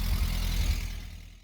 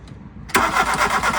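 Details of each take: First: VW MK2 Golf 1.6 Driver, first firing after replacing the electronic distributor ignition module: low, steady idle with an even beat and no misses, dropping away smoothly as the throttle closes; runs normally. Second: First start of a MK2 Golf 1.6 Driver engine with new battery after a muddy ignition module caused loss of spark: cranks briefly, catches, holds a fast busy idle well above normal; throttle suspected stuck slightly open.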